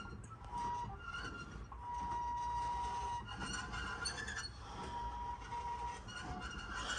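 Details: Mercedes CL 500 creeping slowly: thin, steady high squeal coming and going from the rear right brake.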